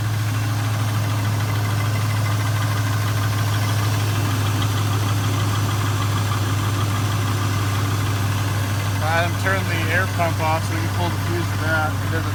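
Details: Chevrolet Tahoe, long family-owned, after exhaust, intake and computer tune; deep even V8 idle with smooth low rumble, no knocks or misses; running good.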